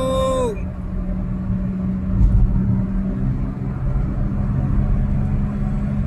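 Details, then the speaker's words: Perodua Alza driving at speed: steady low drone over road rumble with constant hum from front left and right, louder as speed rises; worn front wheel bearings, though tyres should be checked first. "Hai jadi kita sudah dengarnya punya bunyi macam mana Uh Kalau makin kalau kita makin laju makin kuat dp-nya bunyi berdengung dekat depan sini kiri dan kanan so Itulah masalah di pada bearing"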